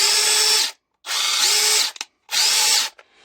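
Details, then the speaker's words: Parkside Performance impact driver after fitting a replacement AliExpress control board: three sharp bursts of high, even motor whine with no rattle or grinding; strong, healthy operation. "Par contre elle envoie la purée. Hein. Putain, écoutez-moi ça."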